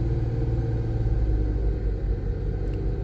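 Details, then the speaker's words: 2001 Nissan R50 Pathfinder 5-speed 4x4 after replacing the alternator with a used OEM unit: steady, even low rumble held at 2000 rpm during an alternator test, no knocks, whine or squeal; engine normal, alternator charging properly. "so there's 2000 I'm trying to keep it at at 2,000 and there we have it guys we have a good functioning alternator"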